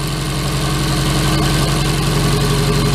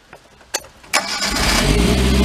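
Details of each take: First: 2008 Mag XT Chinese work truck with a dead miss: lumpy throbbing chug for three seconds then shuts off, running on only the two middle cylinders; valves and cam timing checked okay, coil suspected. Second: 2008 Mag XT Chinese work truck with all four plug wires hooked up: a few cranking clicks, catches at once and settles into an even idle, no stumbling; much better.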